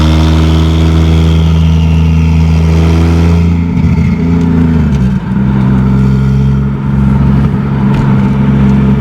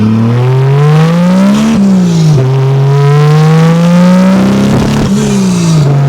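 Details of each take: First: 2JZ-GE NA-T swapped MK3 Toyota Supra turbo: a strong, even full-boost pull through the revs, a shift, then clean acceleration with no breaking up. Normal; idle still wants to die. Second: 2JZ-GE NA-T swapped MK3 Toyota Supra turbo, warmed up, on-road pull under boost: revs rise with stumbles and burbles, still breaking up but better; the misfire was finally traced to the wrong spark plug gap.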